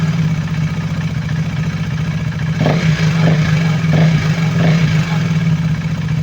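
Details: KTM Duke 390 V2 after replacing the intake and exhaust camshafts and two rocker arms, following metallic clicking from gasket maker blocking the head oil passage: a steady low idle, then quick blips that rise and fall cleanly with no metallic ticking; it revs normally.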